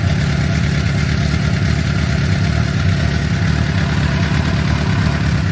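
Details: 2006 Suzuki GSX-R750, over 5,000 km since last service, oil warming toward 60 °C before oil change: smooth, even low rumble at steady warm-up idle, no ticking or tapping; engine healthy.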